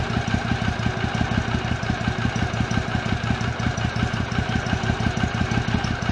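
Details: 2006 Triumph America twin at idle after patching a cracked airbox lid (was in five pieces); even, lumpy thump around five or six beats a second, no clatter, air disturbance felt at airbox; healthy normal idle.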